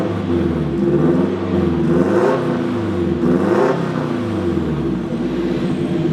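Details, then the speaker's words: Turbo Mazda Miata, built 1.6L with new head gasket and unequal-length turbo manifold, warming to operating temp, gauges showing good voltage, air-fuel, coolant and boost: two rev blips with whirring whoosh climbing each time; turbo spools cleanly, healthy. "We got good battery voltage, good air fuel, RPM, coolant, good boost. Oh, you can definitely hear the turbo."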